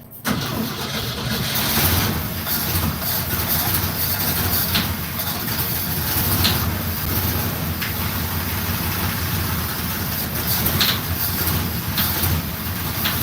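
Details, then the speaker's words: Box van (former food truck) with rusty fuel in its tank, now running from an external tank: engine cranks, catches, then rough idle with irregular sharp knocking; engine knocking badly, cause unknown. "So, I got an external tank connected right now. Knocking like crazy."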